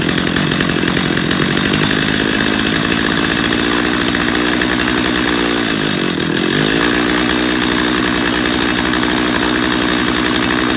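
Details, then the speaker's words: Chainsaw carburetor tuning by ear, close-up: a steady high two-stroke buzz sags and recovers midway as the low-speed screw is turned for best speed. "go back to your idle screw turn on your idle screw back down until that chain just stops moving"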